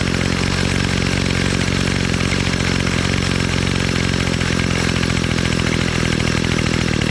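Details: Bolens MTD BL-160 25cc two-stroke trimmer after carburetor clean and mixture screw reset, choke off: hard, even buzz held at full throttle with no surging, stumbling or dropouts; engine running clean and healthy.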